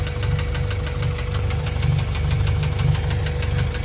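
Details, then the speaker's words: Junk engine from a parted-out Acura Integra DC2, driven about four hours, dripping coolant: sharp rapid ticking knock over the idle in time with engine speed, goes away when revved then comes back; knocking motor. "And then the knock goes away when you rev it, but, you know, and then it comes back. But, yeah, so we got a knock-in motor."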